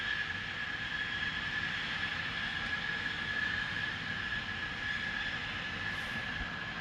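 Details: Loud continuous steady hiss with faint high whistle, heard from a distance; Spooner Industries, Ilkley, 6 April 2021, 8.45am, recorded within a neighbouring property boundary, audible over 100m away; venting source unknown.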